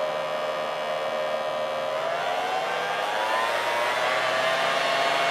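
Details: 3D-printed mini turbine, scaled about 60%, tiny RC helicopter motor raised from 1.5 toward 3 volts: smooth even high whine climbing slowly in pitch as it spins up, no rattle; running normally.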